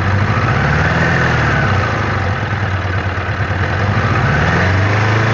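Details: Suzuki Katana 600 at steady low idle with irregular light tapping about three per second; owner unsure whether it is a knock; source unclear, not confirmed.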